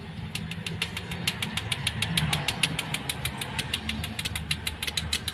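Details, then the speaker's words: Toyota Avanza after engine overhaul cranks with steady ticking about twice per second but never starts; injector pulse confirmed with a test lamp, so cause is said to be mechanical in the engine, not electrical. "สำหรับรถคันนี้นะครับสตาร์ทไม่ติดนะครับสาเหตุเกิดจากนะครับเครื่องยนต์นะครับไม่เกี่ยวกับระบบไฟนะครับ"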